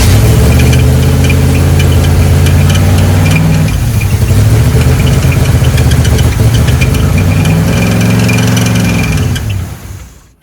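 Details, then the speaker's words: 1976 K5 Blazer, off the road since 1997, in the cold: a steady fast idle with an even beat never settles down; the seized carburetor secondaries were holding it partly open, then were lubricated. "so why is the idle so damn High I don't understand but uh I guess we have to do some more troubleshooting I found a part of the issue and it was that the secondaries was a bit open because they were um uh what do you call it they were a bit seized"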